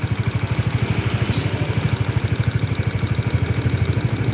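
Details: Honda CBR motorcycle at idle, engine warm: steady, even clacking knock about nine or ten a second, judged to be piston slap.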